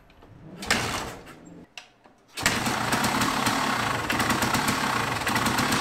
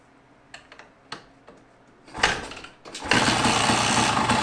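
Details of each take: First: 1974 Yamaha DT250 two-stroke, after timing, carb rebuild and new coil, wire and cap, fitted with a colder B9ES plug: a few sputters, then it catches and settles into a steady, crisp buzzing run without misfires. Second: 1974 Yamaha DT250 two-stroke enduro, carb rebuilt, timing set, ignition coil, wire and cap replaced, now with a colder B9ES plug instead of B8ES: a few dull kick thumps, then brief ragged bursts; almost fires but won't keep running.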